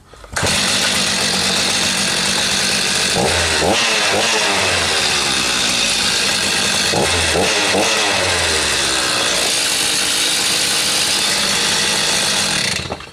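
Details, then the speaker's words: Stihl MS290 chainsaw left sitting two years with a no-start, after carb repair, test run without bar and chain: high, buzzy two-stroke scream holding steady with quick throttle blips that it picks up cleanly; normal running. "Well, I say that's a winner."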